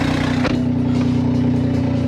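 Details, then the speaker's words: BMW M4 at idle with a small hole in a cracked exhaust manifold: steady low idle with a faint, rapid puffing tick on the exhaust note, from the exhaust manifold leak. "not sounding very good that little hole in the manifold it's not a good sound"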